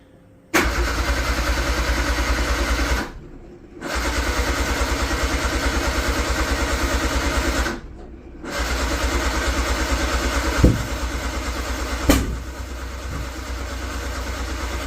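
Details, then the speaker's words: Metro GTI race car on standalone management: repeated cranking bursts with ragged firing that catches briefly then dies, and it smells very rich; owner unsure why; cranking no-start with misfiring. "Yeah, see, it's not happy. It smells really rich as well. So yeah, again, I'm not entirely sure why that is doing that."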